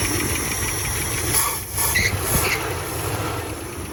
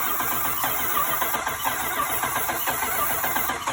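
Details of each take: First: After replacing the failed ignition unit, starter cranks and the engine catches, settling into a rough but steady run with background hiss; healthy start. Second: Crank-no-start after spark was lost; ballast swapped from another wagon, spark checked and the ignition unit is suspected burnt. Continuous even cranking churn that never catches or speeds up, no spark reaching the plugs; replacement ignition unit going in next.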